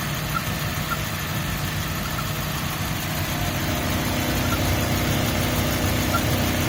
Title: 2003 Mazda miata mx-5 chirp noise